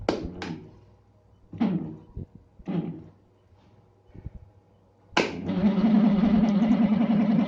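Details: Sekai DFN 701 desk fan, long stored after frequently jamming, starts with a loud, rough, throbbing grinding rumble ("ngorok", like a helicopter) after handling knocks and clicks.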